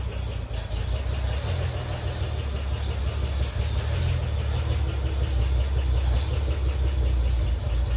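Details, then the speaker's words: 1957 Chevy Bel Air inline-six, revived after sitting for years, won't idle and dies off throttle: low, uneven stumbling idle; carburetor later found missing a part in its internal choke mechanism. "I got it to start and drive into the garage, but as you can hear, it just doesn't run too well."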